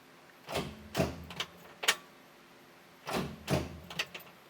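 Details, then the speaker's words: 1967 Chevy Corvair four-door, manual, in neutral with clutch in, first start attempt after sitting 20+ years; bursts of dull clunks in pairs and threes with no cranking rhythm; starter engages mechanically but won't turn the engine, solenoid thought fine, cause unconfirmed. "well I don't think it's the starter solenoid because it sounds like we're getting mechanical engagement yeah that definitely sounds like it's engaging"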